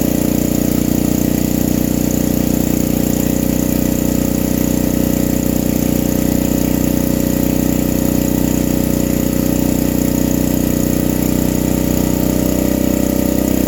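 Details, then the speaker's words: Vintage generator: steady, high, droning hum with no surging or misses; owner feels it runs faster than it should, and the generator gives no output, possibly a ground issue; overspeed suspected, unconfirmed. "This thing was really humming. I don't know. It felt like it was running faster than it should be."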